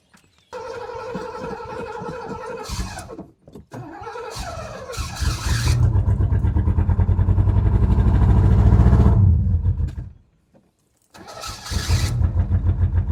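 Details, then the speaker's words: 1981 Pontiac LeMans G-body wagon fitted with a Pontiac 400 V8 and sitting for years, now fed from the original tank: catches, surges, stumbles, not running on all cylinders, then stalls. Old bad fuel suspected. "yeah that gas that gas is garbage come [Music] on my God damn that gas is bad oh what is this not doing too [Music] well well we're pumping gas we're running on not all cylinders"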